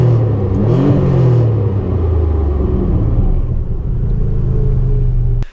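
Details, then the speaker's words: Nissan Z31 (turbo, catalytic converter previously cut off, formerly droning straight pipe) after a home-fabricated catback with a 2.5" muffler: deep, smooth rumble rising and falling with throttle, no rasp or drone; much quieter, healthy exhaust note under acceleration while driving. "the exhaust was a success the car sounds great it's way quieter to drive at this point"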